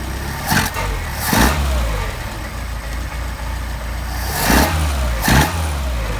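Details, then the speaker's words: Mercedes 190SL with rebuilt Solex carburetors after linkage adjustment: four sharp throttle blips over steady idle, revs climb and fall cleanly with no stumble or hesitation; carburetors responding well. "A good [Applause] response. Think we got a good set of carburetors for you."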